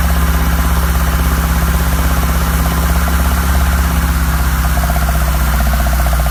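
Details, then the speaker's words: 1972 BMW 2002, rebuilt 2.0L inline-four, second start after rebuild: loud steady idle with rough rapping about three per second; owner doubts rod knock, source unknown; also weeping antifreeze. "yes I hear that snotty rappy sound I don't think it's a rod wrap but I need to figure out what it is"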